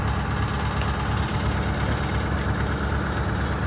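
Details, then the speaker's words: GM 4106 bus diesel after major repair, test drive stop: deep steady idle with low even chugging from the rear air compressor, about 87 beats a minute; normal compressor running. "You hear that? That's that air compressor in the back."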